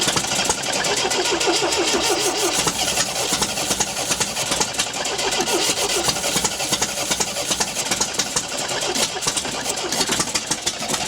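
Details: 1974 MGB GT sat for 29 years, rear carburetor float bowl leaking, ignition timing being adjusted (suspected too far advanced): catches and runs unevenly with a lumpy beat that keeps surging and sagging; rough running needing coaxing.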